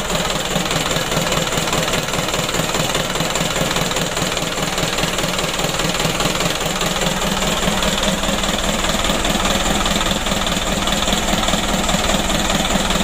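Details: Mitsubishi Canter 136 PS diesel in a tour minibus burning oil, at startup, before warming and piston ring replacement: steady idle clatter pulsing about 2.5 times a second with a slight lumpy shake left.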